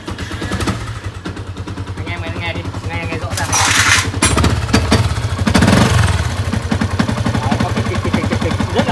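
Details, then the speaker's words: Yamaha Exciter 150 before repair, engine running: loud uneven clacking over a rough idle like a tractor, from worn rubber dampers letting the clutch housing rattle; fixed by rebuilding the clutch with spring dampers. "Rồi mình sẽ nổ cái máy lên xem anh em nghe tiếng nó rất là khó chịu, bức xúc luôn."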